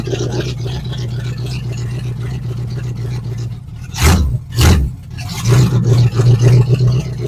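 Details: 1970 Ford Falcon with a 5.0 small-block Ford roller engine swap, right after a carb clean and reassembly; it catches roughly, revs in bursts, then stumbles and won't stay running. Carb fuel supply checked next; cause unconfirmed.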